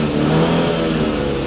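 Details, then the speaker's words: 2005 BMW 120i petrol with 91,000 km: a free rev where the engine snaps up quickly and holds steady without missing a beat. Smooth, even and responsive; a healthy engine. "So we'll just give it a little rev. You can see it runs beautifully, but let me show you. You can just see how responsive that engine is. It just snaps up really quickly."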